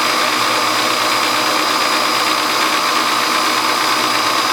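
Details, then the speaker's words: Hobby milling machine spindle running: loud, constant, uneven metallic chatter from a loose bushing around the drawbar. It runs quiet with the drawbar removed. Drawbar rattle. "a little bushing around my drawbar up there with rattling so bad a lotta and that's what that rattling is right now that noise"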